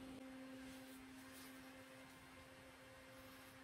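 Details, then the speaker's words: Stock CPU cooler fan on an open bench with an i9-12900KS on an Asus Z690-A Prime under a Cinebench R23 multicore load: a steady airy whoosh and constant low hum at full speed. It sounds normal. "let's start with multicore already you can hear the the fan going crazy this is the standard fan guys"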